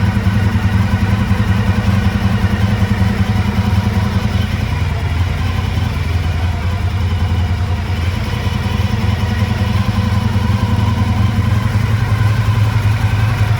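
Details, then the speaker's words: 1985 Honda VF1000R, first run in three or four years, warm idle: uneven, loping beat about 2.5 pulses a second, rear right cylinder not firing; suspected pilot jet blocked by float bowl muck from carbs not run dry, carbs to be pulled. "yeah so we can see uh the rare right cylinder uh is definitely not uh is definitely not running at idle"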